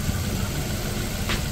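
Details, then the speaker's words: Suzuki Ertiga after repair of an internal knock (journal work; belts had been ruled out): a smooth, steady low idle with no knock or tap and a quiet bottom end. Normal idle. "ayan ayan ayan na napakatahimik niya ng makina ni Sir"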